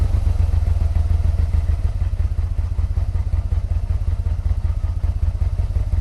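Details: 1986 Yamaha Venture Royale 1300 four-carb bike with 86,000 km, first start after 7 years sitting, still on old gas and oil. Low, lumpy beat with a dull thudding clatter on each pulse; owner suspects the 7-year-old oil.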